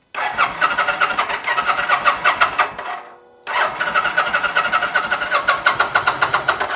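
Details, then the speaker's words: 2009 Kawasaki VN900 Classic, fuel-injected liquid-cooled V-twin that sat for a season on old gas, healthy battery, fuel pump heard priming: two strong, even cranking bursts that never fire; cranks but no start, consistent with fouled spark plugs. "old gas and spark plugs are not friends okay if you're trying to burn old gas it will ruin the sp"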